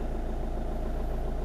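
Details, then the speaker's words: 2010 Hyundai i20 diesel after sudden injector shutdown and no-power episode, no fault codes stored: even smooth idle, steady low thrum, no misses or knocks; running well with full power again. "it's running really well full power is normal not like this afternoon"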